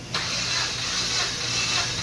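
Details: Dodge Caliber with misfire (codes P0303, P2174, P0218, P0335) cranking for cylinder 4 compression test, about seven revolutions: steady even cranking with hissing, no drag; reads 150 PSI; later fixed by replacing two injectors.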